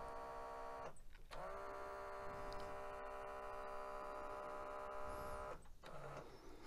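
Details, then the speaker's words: 1996 Mitsubishi HS-U760 S-VHS VCR, thrift-store unit arriving non-working, at power-on: steady mid-pitched whir for about four seconds as capstan spins freely; typical sign of a missing or broken drive belt. "that annoying whirring sound did you hear it there at the beginning how did you miss it right typically that means there is a missing belt or a broken belt"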